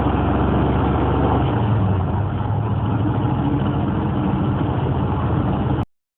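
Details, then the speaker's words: Corvette Stingray V8 with Hypertech OBD-port tuning altering timing and parameters, idle set: deep steady V8 burble, even unbroken low rumble, no knocks or misses; normal idle. "but she sounds good i got her to find my idol right"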